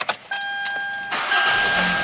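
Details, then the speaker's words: Hyundai Elantra GT with intermittent no-start, repeat start after sitting, following contact enhancer on the spread crank sensor connector pins: warning chime, brief crank, catches at once and settles cleanly; healthy start, no warning lights. "okay that's good starting no problem now let's do one more time"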